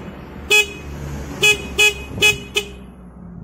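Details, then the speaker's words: Yamaha Vixion motorcycle horn after cleaning a corroded, broken horn wire connection; several short, bright horn toots at an uneven pace, sounding clearly and strongly: horn working normally again. "perhatikan saat kita pencet langsung nyala ya Coba kita tes di klaksonnya ya mudah-mudahan E ini bisa dan klakson bisa bunyi lagi ya"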